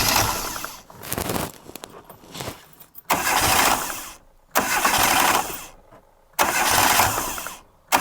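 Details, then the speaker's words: 1998 Reliant Robin Mk2 barn find, freshly rebuilt carburetor, after refitting plug lead: catches in repeated bursts revving high instead of settling; high idle as rerouted throttle cable stops throttle fully closing. "I think the throttle cable's stuck up a bit, because that seems to be revving a bit."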